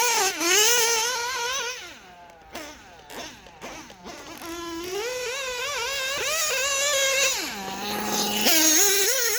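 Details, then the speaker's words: OPS Speedster Power .21 nitro RC engine after head clearance adjustment, carburetor leaned toward max power on track: high buzzing revs hesitate and wander from low speed, then scream cleanly up top, not lean bogging; poor low-end response. "she's revving you can hear that bottom acting like a prick but the top is good and it's not lean bogging it's it's [Music] singing"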